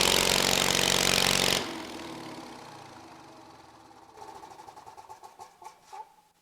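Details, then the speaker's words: 23 HP Kohler engine brought back to running with little work, cover rubbing slightly. Strong, even roar for about a second and a half, then a clean shutdown with light ticking; normal running. "But boy, that thing runs good for, you know, not having to do a whole lot to her."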